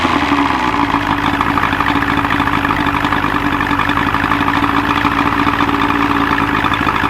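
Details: OMC three-cylinder outboard that ran poorly because of water in its gas. The contaminated tank was drained and the motor runs on a clean shop tank. Steady, even buzz with a constant mid hum and no misses or stumbles, so it is running cleanly.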